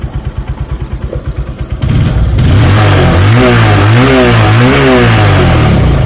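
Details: Honda Verza 150 fuel-injected motorcycle draining batteries monthly; idle then smooth revs; charging failure traced to a burnt, grounded stator winding feeding the regulator.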